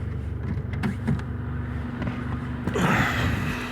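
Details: VAZ 2114 1.5 8-valve engine idling cold after start: irregular light crackle and tick over the low rumble, heard near the cylinder head, disappearing once warm; cause unknown.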